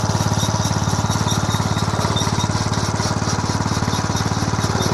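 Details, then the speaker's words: Home-built 1/3 scale mini hay baler/press, small engine: quick even chugging, about three to four pulses a second, steady and clean; runs healthy. "But let me see, I'll turn the switch on and fire this up and let you hear it run, and then here later I hope to get it set up and we'll do some bales."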